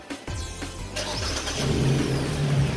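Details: 2018 Hyundai Elantra at startup: engine catches and a coarse, motorbike-like rasp rides over the low rumble as it settles, with something loose dangling at the rear; owner suspects exhaust leak at a joint/seal, not confirmed.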